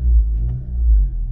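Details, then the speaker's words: 2018-2020 Honda Accord, modded ~220 whp, CVT failed at 40K miles, check engine and transmission errors: engine drones and flares in Drive but car won't move; CVT slipping. "it's just stuck there now if i can kind of floor it it'll probably kick into gear but that's something i don't want to do right now"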